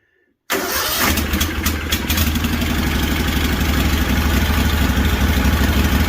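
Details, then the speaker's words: Freshly rebuilt Kawasaki FR730V V-twin in a Cub Cadet SX60, first start, catches after a brief crank and runs steady, even and deep like a motorcycle, no misses or smoke; healthy running. "Sounds like a motorcycle, don't it? And there ain't no smoke coming out."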